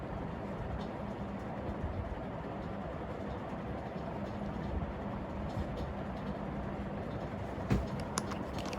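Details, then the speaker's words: Brown New Fan industrial ceiling fan, taken from a church and in worse shape, at high speed: a rough, rumbling drone with a faint hum from scratchy worn bearings that vibrate the whole fan. "it's really one in the worst shape you can hear the bearings okay here's high speed bearings are so scratchy kind of vibrates the whole fan"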